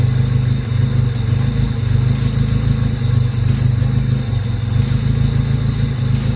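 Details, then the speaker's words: High-mileage Honda EK hatchback, AC belt off: deep, uneven idle and revving with a blatty, puffing exhaust note, an exhaust leak from a cracked exhaust manifold. "Yep, sounds like shit. There's a crack on the manifold."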